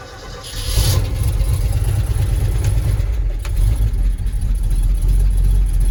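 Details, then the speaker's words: 1971 Ford F250 Highboy, freshly overhauled V8, cold start in snow after sitting since late September: catches within a second and settles into a steady even rumble, idle set slow, with a known exhaust leak; normal cold start and idle. "not bad idle set pretty slow for summer so we'll see how it does"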